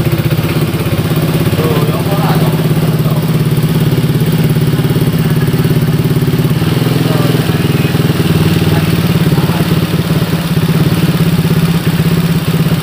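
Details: Honda Vario 150 keyless scooter after repair of a no-start (fuel pump pressure normal around 40), radiator coolant refilled: steady, even single-cylinder idle, no knocks or rattles; runs cleanly.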